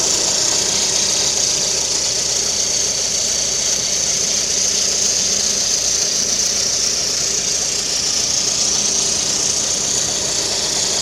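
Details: Lada Kalina with the 11194 engine at idle, timing belt cover removed: a steady, piercing high whistle rides over the even idle without changing pitch. It is the timing belt whistling.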